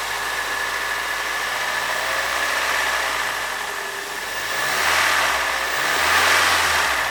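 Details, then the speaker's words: Toyota 3RZ petrol engine in a family SUV, owner reports no trouble ever: smooth even idle, steady hum, no knocking or misfire; healthy. "suaranya enggak familiar ya Iya suara RZ sebenarnya sih Sedikit he sama kijang terakhir Kijang Fi ya"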